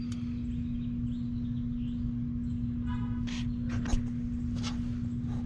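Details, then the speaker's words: 39-year-old Carrier condenser at an apartment, thermostat calling at 80 degrees: only a steady electrical hum, nothing spins up; capacitor hoped to be the cause, fan motor later replaced; humming, not starting. "I'm hearing a hum. I don't know if that's the death buzz or not, but I'm hoping it's just a capacitor."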